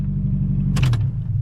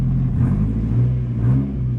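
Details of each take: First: 1997 Toyota Tacoma four-cylinder, rebuilt $500 wreck, after radiator repair; deep, steady, somewhat loud and obnoxious exhaust rumble, even and smooth with no misses or knocks: normal running, loud exhaust. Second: 1997 Toyota Tacoma, just started, low on coolant: deep, loud, raw exhaust rumble swelling with throttle blips; essentially straight pipe with a couple of pinholes in the exhaust, very little muffling.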